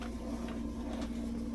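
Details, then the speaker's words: Samsung washer drum turned by hand: smooth, even low hum, no gravelly rattle, scraping or slack; spider arm and bearings are good. "so this one's good there's no spider arm problem it's not dragging or scraping there's no slack on one side or the other this thing feels good it's nice solid and there's no crazy noises"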